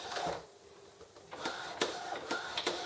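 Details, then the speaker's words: Loose ink tubing of a continuous ink system fitted to an Epson Expression XP-202/XP-205 taps underneath while printing: sharp, uneven taps and clicks over a light mechanical whir; said to be unavoidable with this fit. "you will hear you will hear that that tapping noise and a lot of tapping noise is caused by the ink by tapping underneath the bottom of the way"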